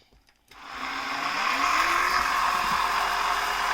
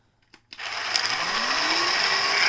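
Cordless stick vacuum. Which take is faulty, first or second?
second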